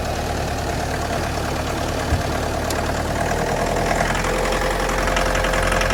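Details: 2011 Mitsubishi L200 2.5 diesel, automatic, odometer 79,000 km but suspected rolled back: idle with an uneven knock about three per second over the diesel clatter; source not pinned down.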